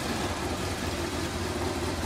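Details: Honda VFR 1200 idling after the rear exhaust silencer was refitted: a smooth, even low idle with no puffing, ticking or hiss from the pipes. A lamp check found no leaks, so the exhaust is sealed.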